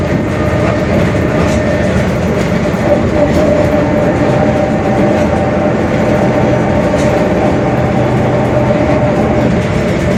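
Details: Mercedes-Benz OF-1721 Bluetec 5 diesel urban bus, Mascarello GranVia Midi body, built 2021, onboard while cruising: steady drone under road rumble with faint constant mid-range hum, a growling (roncando) differential.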